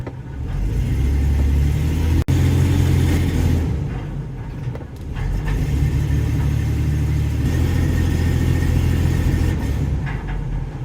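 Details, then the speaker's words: Ford E-150 with P0340 cam position sensor code, power-braked under throttle: exhaust note turns uneven and stumbling with exhaust rattle; power balance test shows misfires mainly on cylinder 2, cam sensor apparently working fine. "So it's detecting some misfires mainly on cylinder number 2."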